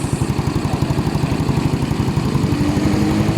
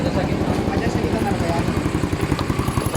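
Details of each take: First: Motorcycle with a 24 head, 59 big bore and stock bottom end, after a crankshaft side-play repair: quick, even idle pulses with a steady beat, no ticking or knocking. The repair is done and it runs very quiet. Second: Motorcycle single with a 24 head, idling after a crankshaft side-play repair: loud, sharp popping pulses at about 220 a minute from the mid-pipe. The bottom end is quiet; the mechanic says the exhaust pipe is leaking there.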